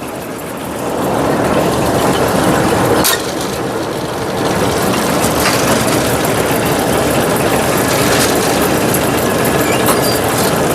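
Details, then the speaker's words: Brunswick A2 bowling pinsetter cycled several times at full speed on first ball with an out-of-range pin, resetting fine with nothing else wrong found: steady rumble and clatter with an even rhythm and no hang-ups; normal pinsetter cycle. "she reset just fine we're good to go here damn I cycled it through a couple of times I didn't see anything else going on"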